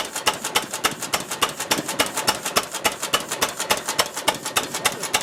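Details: 1926 Ruston Hornsby engine, mixture adjusted from too rich: crisp, evenly spaced beats about three and a half a second with no misses; runs cleanly at idle.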